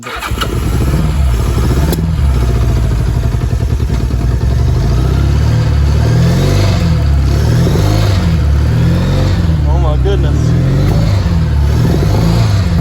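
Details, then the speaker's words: 1982 Honda GL1100 Goldwing, first run after long storage, after the starter was fitted: fires and settles into a steady, even low throb with no misses or knocks; idling on its own, fuel pump thought to be working. "it runs look at that it's even idling I think the fuel pump is just working on it"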